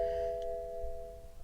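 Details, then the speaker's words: Car at a Copart salvage auction, ignition switched on with the door closed: single soft two-tone gong that fades within about a second, alongside airbag/belt tensioner fault and increased battery discharge warnings; a dead battery is suspected. "and airbag belt tensioner okay increased battery discharge transmission will be shifted into Park"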